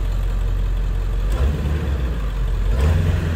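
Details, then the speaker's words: 4x4 Ford E-350 Econoline with 7.3 diesel and high-idle box, in for check engine light and lack of power, first start: deep steady diesel rumble with even beat, no knocks or misses; sounds all right, responsive; normal idle. "Sounds all right. Got airbag light flashing. Seems very responsive."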